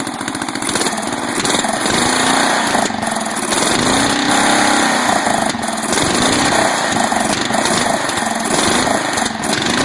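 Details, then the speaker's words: 12.5 hp flathead engine: runs rough, sharp pops through carb, wants to die when throttle backed off; carb suspected, rust and debris later found in bowl; backfiring and stalling at low throttle. "It wants to die when you back it off high, red. Backfiring through the carb."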